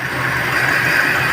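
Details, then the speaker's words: Chevrolet Sail petrol car idling after warming up. It runs rough, with a blinking check-engine light, and the exhaust pipe visibly shakes. Uneven idle with an irregular low thump as one cylinder drops out. Codes P0300 and P0302 (cylinder 2 misfire). "P0300 engine misfire का पता चला, battery में short circuit और P0302 cylinder 2 misfire का पता चला, battery में short circuit."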